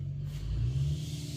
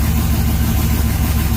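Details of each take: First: LS-swapped 1990/1995 Chevy OBS truck: fires on the key but deep lumpy, uneven loping idle, not running on all eight cylinders; misfire, plan to change two injectors on the rail; a torn spark plug wire was already replaced. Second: LS-swapped (4.8/5.3) 1990 or 1995 Chevy OBS truck, first start of the swap: steady, deep V8 idle with an even low rumble and no stumble or skipped beats, firing cleanly on all eight; normal idle.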